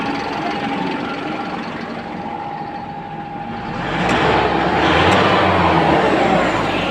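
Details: Engine runs steadily after a PCM power relay problem was found, revs swell briefly around halfway and settle, no stumble or misfire; running normally.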